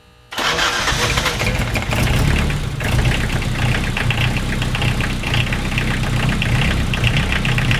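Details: Diesel-swapped Chevy LUV after glow plug replacement, started in neutral with clutch in: starter catches, diesel fires at once, then settles into steady, even low clatter at idle; normal cold start.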